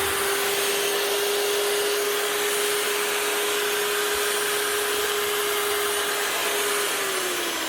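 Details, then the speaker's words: Hitachi G23SR angle grinder after filing and cleaning worn brushes that had caused spluttering: smooth steady high-pitched motor whine at constant speed with even air rush, then clean wind-down; running normally. "Not a thing wrong with that. Hitachi G23 SR. Brush is filed and cleaned."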